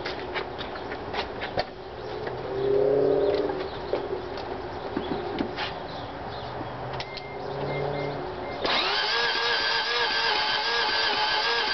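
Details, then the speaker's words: 1988 Mazda RX-7 convertible rotary, started a week earlier then wouldn't restart; battery charged, fuses fine, no blown coolant seals, not flooding: starter whirs fast and even but engine never catches; compression untested, cause unclear; crank no start. "is so as you can see I don't know it just sounds like the starter is being weird like I have to watch the video again"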